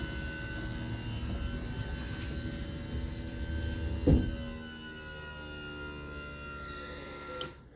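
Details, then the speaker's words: 2009 Monaco Dynasty RV, HWH hydraulic slide pump under the front step, after bleeding air: steady pump hum with a thin high whistle as the relief valve opens at maximum pressure, normal. "so you hear that little whistle at the end or that screaming that squelching that should be the relief valve and the pump opening up that means we've reached maximum pressure"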